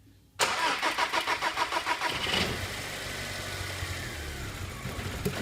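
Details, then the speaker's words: TFSI with running fault, cranked under fault conditions while measuring relay voltages: brief crank, then dull, lumpy, uneven running; fuel relay output switching late, starving components. "okay now we can hear the symptom being exhibited okay so that's quite clear what we're seeing there is um the the voltage is being pulled down quickly on this meter going to zero"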